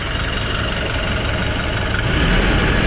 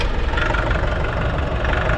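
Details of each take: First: Nissan NV350 diesel after replacing the suction control valve, cleaning the EGR and intake manifold, and relearning: steady low idle rumble with no hunting or surging; the earlier rising-and-falling idle and low power are fixed. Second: Nissan NV350 diesel with low power, foul smoke and no check-engine light: heavy clatter at idle with air conditioning on, RPM rising and falling in a breathing rhythm; hunting idle.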